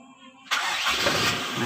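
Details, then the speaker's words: 1997 Toyota Kijang Grand 5K carburetted engine restarted warm, before the new distributor is fitted. A short crank, then it catches immediately and settles into an even idle, a clean start with no extra cranking. "biasanya kalau karburatornya agak bermasalah biasanya distater juga bisa dua kali tiga kali starter baru hidup ya"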